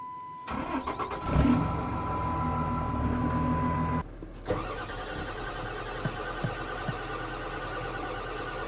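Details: 1997 Ford F350 7.3 diesel that died with white smoke while towing a skid steer: long steady starter cranking, never catching, with water in the fuel lines and injection system; a loose cable end smoked during cranking.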